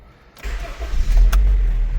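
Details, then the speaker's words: Honda CR-V after fixing fuel pressure problems caused by clogged injectors, on a temporary battery: short crank, then it catches right away and settles into a firm, steady idle; a clean, healthy start. "there it is. It runs good. It idle's great and that's all that was wrong with it."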